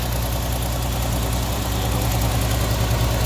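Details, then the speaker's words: 1979 Opel Monza series 1 barn find on its first runs: lumpy, uneven idle stumbling a few times a second with slow throttle response. It is misfiring badly, cause undiagnosed. "we've just tracked her out and started her it's misfiring badly so something's causing to misfire which we're gonna have to try gets a bottom of it"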